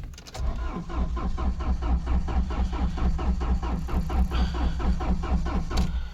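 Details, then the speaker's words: Mahindra Scorpio CRDe diesel, crank-no-start with check engine light coming on then going off, immobilizer key light absent, 1100 RPM shown while cranking: long steady starter cranking with no firing; cause is a crank sensor (CKP) wiring fault. "मैंने इसका long self मारा और गाड़ी start नहीं हुआ।"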